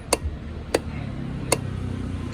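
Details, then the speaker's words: BMW K100 motorcycle starter, no crank: power reaches starter but motor doesn't turn, even removed and fed directly; single sharp clicks about every three-quarters second, no cranking; starter brushes completely worn out. "ใช้วิธีต่อตรงมอเตอร์ครับไม่มีอะไรเกิดขึ้นโอเคแปลงถ่านหมดนะครับไม่ติดเกิดจากแปลงถ่านเกลี้ยงเลย"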